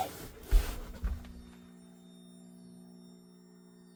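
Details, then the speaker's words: Van LED lighting dimmed by generic PWM modules through a Victron GX IO-Extender 150, front zone below max setting: a low steady hum with a faint high whine. Electrical hum; source unsure, control board or PWM module. "And one thing I've noticed is that in my front zone, if we're not on the max setting, the switches will start to hum."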